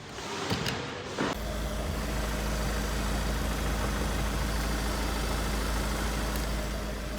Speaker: Another workshop told the customer they needed a new engine because of this harmonic balancer knocking.